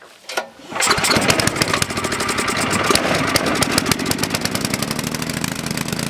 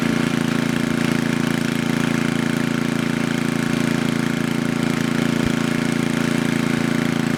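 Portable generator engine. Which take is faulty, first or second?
first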